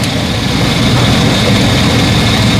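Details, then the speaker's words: 2011 GMC/Chevy 3500 with 6.0 L V8, after crank-no-start fixed by bypassing a faulty fuse box with an inline fuse: deep, even idle with steady low rumble, no misses, ticks or knocks; normal idle. "Sometimes you don't need to create more problems. Right now we have no problem with this car here. Everything look good."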